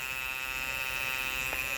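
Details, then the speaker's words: Andis Master cordless clipper with the blade adjusted tight: steady high buzz with a thin rasping edge; worn plastic piece pressing on and rubbing the motor, fixed by fitting a new piece. "It's touching it. That's a good way to know. It's touching it."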